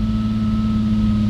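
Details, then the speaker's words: BMW E30 M3 Touring, run briefly on starting spray in airbox with no radiator fitted: steady fast idle, revs far too high and take very long to drop; plugs already removed and checked; high idle speed. "Leerlaufdrehzahl viel zu hoch. Dauert auch ewig, bis das Ding jetzt abtourt. Sehr, sehr lange dauert das sogar."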